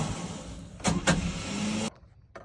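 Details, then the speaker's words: Sonoma pickup starter whirs steadily for about two seconds, then cuts off with no firing. Cranks but won't start; it also misfires when running. "I've given up. It's not going to start. Very unhappy pickup."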